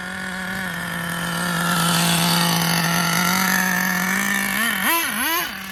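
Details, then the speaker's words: Schumacher Menace nitro RC car on new tires, last of its nitro. Buzzy high-pitched idle holds, then surges and sags twice near the end; the high end needs tuning, and excess oil in the exhaust was ruled out. High-speed needle mixture mistuned. "It's the high end that needs work, obviously."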